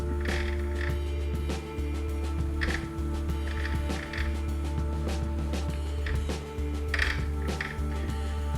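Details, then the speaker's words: Cutting a thread by hand with a die on solid brass bar for a custom Sportster shifter rod: after light WD-40-type lubricant, the squeak is gone, leaving a steady low hum and soft clicks; quiet, smooth, lubricated cutting. "sometimes just a little bit of wd-40 or equivalent like a lubricating oil will do for that job okay and you can see how that just quietens that down now"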